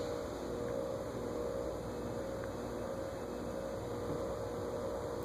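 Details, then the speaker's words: 1950s GE 20-inch plastic-blade box fan at a very low control setting, drawing close to an amp; stopped by finger, it fails to restart: faint steady electric hum, no blade rotation; stalled motor lacking low-speed torque. "that's drawing close to an amp to only go that slow i wonder if i stop it with my finger if it'll have enough start again nope"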